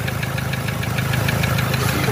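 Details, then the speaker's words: 2007 Toyota Hilux 3.0 diesel at idle: sharp metallic knock about six or seven times a second; mechanic first suspected rod bearing, teardown found melted fourth-cylinder piston, seized cylinder and burnt head gasket; piston knock. "batida era pistão hein aqui suspeitado não barulho é muito parecido os outros aqui"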